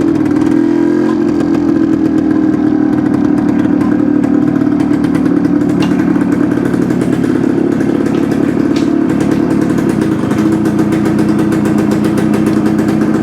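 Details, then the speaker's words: 1972 Suzuki TS250 two-stroke, first start of a new project bike with choke on: loud buzz that sags and stumbles whenever the throttle opens, not taking fuel cleanly from idle to eighth throttle; suspected plugged pilot jet. "okay guys I think you could you could kind of hear it in the way the engine it just didn't want to take the fuel so my first thought is we've got pilot jet that's plugged up it's just not one to transition from that about idle to eighth"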